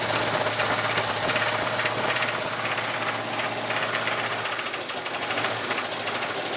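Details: 1980 Oldsmobile Cutlass V8 that sat almost two years, just restarted: rough idle with a loose, uneven deep knock about four per second; rod knock suspected, lifter also considered, unconfirmed.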